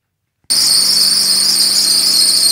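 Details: Mercedes W124 with the M104 petrol engine running: a loud, steady, piercing squeal from a loose, slipping drive belt, fixed by re-tensioning it with a 10 mm hex key and a 13 mm socket.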